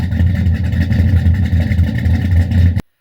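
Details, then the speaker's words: Cammed LS Silverado with FAST intake, ported heads, 1000 cc injectors and long-tube headers, first start after top-end upgrade: loud, choppy V8 idle with uneven thumps; one dead cylinder, owner suspects an injector. "I will add a little clip of it idling you can hear the dead missing it sounds pretty good with the exhaust that's on it um you can hear the Miss in it"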